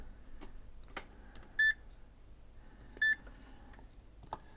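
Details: Original Xbox One with no power whose power brick lights go off: the meter in diode mode gives two short clean beeps on the bench, so the first power regulator reads shorted to ground.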